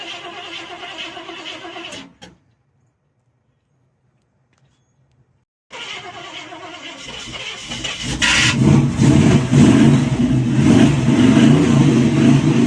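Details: 1971 Chevy Cheyenne C10, cammed 305 V8, spring cold start: engine runs rough, dies to silence for a few seconds, then restarts and revs unevenly; cranky cold hard-starting.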